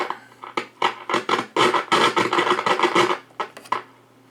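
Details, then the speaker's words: Realistic DX-160 receiver on one of its bands. Choppy bursts of scratchy static keep cutting in and out over the signal; owner suspects a dirty band switch needing cleaning, with bad solder joints possible. "now you can hear some problems there so I think that's probably an order is a good cleaning of the switch"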